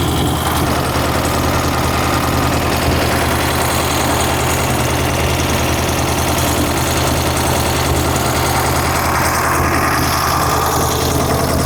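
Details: 1964 Karmann Ghia race car with newly installed 1904cc engine: lumpy, uneven idle with a loose, wandering beat and no steady rhythm; twin carburettors out of sync, running rich.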